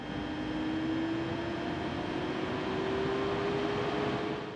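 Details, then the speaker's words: Tesla Model 3, about 6 months owned: steady airy whoosh and faint rising hum from the front of the car. This is the battery temperature management pump and fan working in hot or very cold weather, and also during charging or preconditioning. Normal. "hot or very cold you're definitely gonna hear some noise coming from the front of the vehicle and that is usually the temperature management system for the battery all this really does is keep the battery at a safe temperature so it doesn't overheat and cause problems or get really cold and damaged the actual battery"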